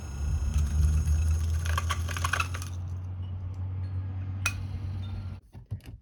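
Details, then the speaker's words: Vintage General Electric 1/3 HP electric motor in poor condition, shaft stiff and stopping quickly by hand; on test a deep hum with a scratchy high squeal and internal clattering, as if throwing things around inside, then winding down. Owner plans 3-in-1 oil. "So, I tested it and you could probably hear it. It started to sound a little strange. It got like super squeaky and sound like it was like throwing stuff around inside the inside here."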